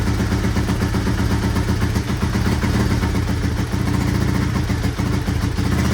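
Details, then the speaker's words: 1983 Honda XR200R single-cylinder after top-end rebuild and engine overhaul, first start on half choke: steady even idle with smooth low beat, quiet with no top-end clatter or cam chain slap; cam chain to be checked once warm; normal idle. "quiet, no cam chain slap. Still gonna loosen this up here in a bit once this warms up and just make sure it's adjusted, but I can't hear anything, which is good. Idling smoothly."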